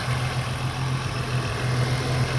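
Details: 2001 VU Holden Commodore Ecotec 3.8L V6, hot after swapping the 82°C thermostat back to a standard 90°C one for poor fuel economy, temperature gun readings 79 and 220: steady, smooth low idle rumble, no knocks or misses, a normal warm idle.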